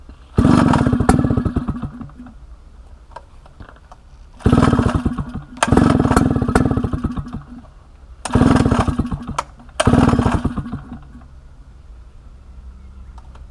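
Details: 1960s Solo 626 (Solo 60126) 70cc two-stroke chainsaw, revived after sitting for years, before fuel system and carb clean: several crisp high-revving bursts that pick up and drop back cleanly; the old saw fires and runs strongly.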